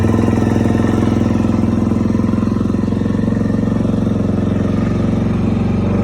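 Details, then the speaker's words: Kawasaki KLX400 single-cylinder idling evenly with steady thump after fitting a manual cam chain tensioner; the top-end clanking that began after a valve clearance adjustment is gone and it sounds normal. "all right I am not hearing any kind of noise from that top now"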